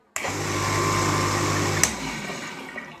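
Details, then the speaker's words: Household water pump motor that often wouldn't start and needed hand spinning, after a loose part in its holder was packed tight with thick paper: instant start at first switch-on, steady low hum and water rush, no buzzing stall. "तो friends ये motor बिल्कुल एक बार switch on करने पर start हो जा रहा है।"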